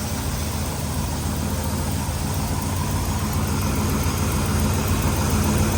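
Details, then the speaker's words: Big-block Camaro first started after sitting since 2017: a loud, deep, throaty, even idle with a steady rumble; the motor sounds happy and healthy. "seem's like a happy rat motor W that's loud thing throaty damn"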